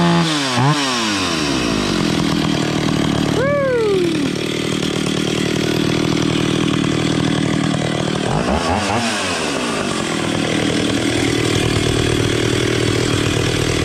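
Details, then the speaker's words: Vintage Stihl 031AV chainsaw after Walbro carburetor rebuild and adjustment (earlier leaned out too much): two-stroke revs rise and fall cleanly between blips, then holds a steady crisp high idle without bogging. Normal running. "okay that sounds pretty good let's put the air cover on it"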